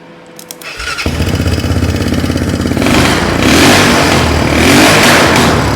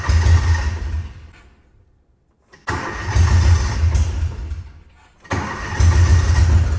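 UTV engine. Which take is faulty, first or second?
first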